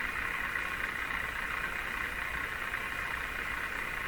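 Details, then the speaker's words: Canadian Westinghouse Model 684 radio under repair: steady atmospheric static returns briefly when metal is held near the oscillator coil, varying its frequency; the set goes silent intermittently and the cause is not found. "We can hear it now. You can hear the radio, atmospheric noise."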